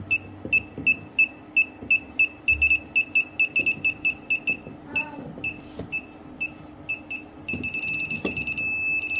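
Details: PeakTech P 3432 non-contact fuse finder scanning a breaker panel for a live socket's fuse: high beeps repeat about twice a second while scanning, then become a steady continuous tone as the matching fuse is found.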